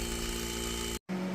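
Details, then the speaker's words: Wine cellar cooler evaporator in cooler room: steady even fan whir with low hum, no rubbing or rattling; evaporator fan running normally, room temperature dropping from 78 to 70 toward 55 target. "So the fan is all working now and it is really cooling right now."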